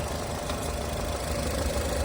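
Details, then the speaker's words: 2011 Nissan Qashqai+2, 2.0 petrol 104 kW, automatic, 235,000 km: steady, even idle with a smooth low hum and no knocks, misses or chain noise; engine runs very cleanly. "Е, так, зараз послухайте, як він працює. Дуже чисто, гарно працює двигун."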